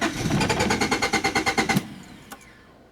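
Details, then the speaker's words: 1993 Honda Accord that shuts off when hot and won't restart; died after bogging while revved: starter cranks evenly at about six pulses a second but never fires; fuel pump confirmed bad. "when I was giving it gas, it kind of bogged and died, which does sound like a fuel issue."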